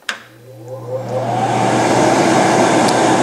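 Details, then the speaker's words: Santa Fe Classic dehumidifier blower function test, front panel held against machine, fan switch on: motor hum then steady even whoosh, no grinding or whine; normal healthy fan. "hit that fan switch, you'll hear the fan actually turn on. It should sound like this."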